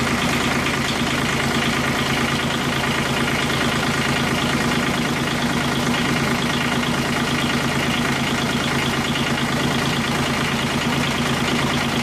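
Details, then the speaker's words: Kubota G1800 tractor diesel after engine reinstall and radiator repair: even chug about three beats a second, steady with no knocks, misses or hunting; healthy idle, though owner suspects worn rings. "I'm sure you guys are wondering what it sounds like, I'm going to go ahead and start it up for you."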